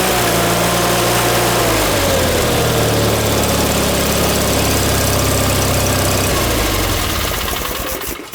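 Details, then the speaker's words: John Deere 318 twin-cylinder petrol engine after reinstall with a reworked manifold fixing surging, new plugs, wires and oil, shrouds off; even steady idle easing slightly lower, no surging or misses, then shuts off cleanly; running good. "she's running good, man. She's running good, Ma."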